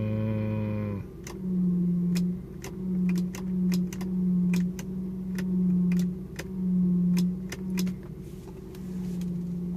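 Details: Lexus SC400 idling: uneven light ticks under a second apart over a low steady hum with an on-off drone. The vibration gets louder with the lights on; power steering already flushed. Owner suspects the alternator or a transmission mount, source not pinned down.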